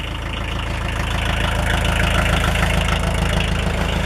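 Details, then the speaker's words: 1980s Kubota L345DT 4x4 34hp diesel tractor on off-road diesel, started in cold snow weather with a block heater, warming up. Even diesel clatter about four beats a second, steady with no misses or heavy knock: a normal, healthy idle. "Oh, I'll give it another minute or so to warm up. As you can hear, it sounds pretty decent, runs pretty decent."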